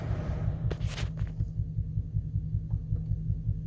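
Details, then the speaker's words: Chrysler 300C idling, heard outside at tailpipe: deep, regular low popping about two and a half per second, uneven in strength; misfiring, not on all cylinders, no codes stored; a bad coil suspected. "You can't, like, it's making that pop pop pop from the exhaust. It's definitely not running on all cylinders."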